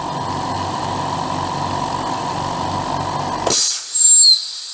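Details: Upgraded air compressor after restarting, flexible hose moving under pressure: even, steady motor drone with smooth pulsing beat, then cuts out with a hiss as the pressure release valve empties the pipes; normal running.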